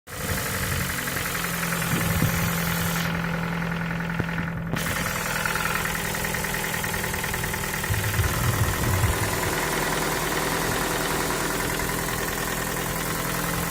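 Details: Ford Focus 3 1.6 105 hp at 185,000 km, knocking for last 25,000 km both cold and hot, sometimes quieter; idle with uneven light tapping about three per second; knock, cause unclear (valves, cam phasers, or piston pin suggested).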